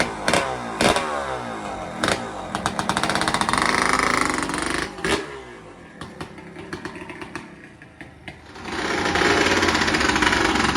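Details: Honda Grom with a swapped-in EXC300 two-stroke engine, first start and ride after the install: very loud, raw crackle with sharp popping bursts as it revs and settles, pulling cleanly; runs, though the old carb gasket weeps slightly.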